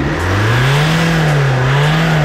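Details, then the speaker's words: Alfa Romeo Crosswagon 1.9 JTD 16V, 150 hp, under throttle: strong engine pull rising and holding, with a faint hissy rush on top; boost is leaking somewhere, the intercooler is suspected and needs replacing. "Чува се, че изпуска от някъде и ще трябва да намерим друг кулер."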